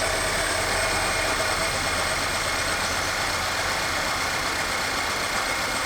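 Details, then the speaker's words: Audi engine just reassembled after no-compression condition, retimed with new camshaft: rough idle with heavy crashing clatter under the hood; scanner reports cylinder 4 misfire, ring damage on #4, needs full teardown. "well this beautiful beast does run but as you can tell by the crashing going on under the hood there it's got a misfire"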